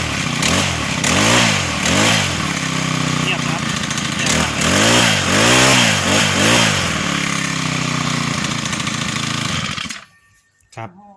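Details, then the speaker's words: Small two-stroke brush cutter after repair for a loud noise: worn old clutch shoes, bolt holes worn oval, replaced with new clutch shoes. Clean, even rev bursts with no rattle or clatter, then shut off; now quiet. "เสร็จแล้วนะครับเงียบเปลี่ยนคลาสก่อนใหม่นะครับ"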